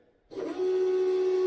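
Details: VW Beetle fuel pump primes with a steady, even hum at one pitch, with no sputter or leak hiss. The bad injector has been replaced with an old injector, and the injectors are now holding.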